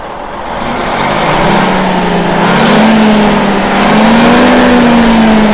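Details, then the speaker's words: Detroit Diesel 6-71N two-stroke in a bus after fresh in-frame rebuild, regular oil poured over the valvetrain; free rev climbs smoothly with an even rising drone, no knocks or misses, while smoke is watched from behind: normal revving. "now I'm gonna go start it up and rev it up you want to view my smoke for me back here yep"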